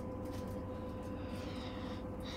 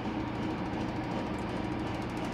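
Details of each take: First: 2015 Whirlpool Cabrio washer on high spin (850 rpm), first stage: steady motor whine and low hum, speed drops then climbs in pitch as the drum ramps back up; spin not holding speed, cause unclear. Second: 2015 Whirlpool Cabrio washer on High spin setting, reaching 850 rpm after a slow ramp-up; smooth even whir with low steady hum, no knocks or scraping, a normal high-speed spin.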